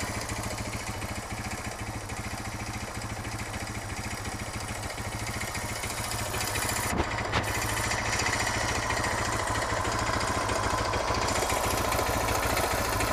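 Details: Suzuki DR650 single idling in neutral with a sharp regular tick every firing beat, still present after a brief rev; long-standing, fades on deceleration; valve clearance and cam chain tensioner checked, cause unknown.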